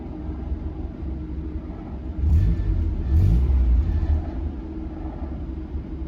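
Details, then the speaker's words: NA Mazda Miata at idle, almost warm after running a while, after fixing a vacuum leak behind a misfire: low, steady idle with a brief swell, no stumbling or hunting; idle screw now adjusts linearly; normal idle. "I have been running it for a little bit so I am kind of cheating just a little bit the car is almost warm so far it's not stumbling at all"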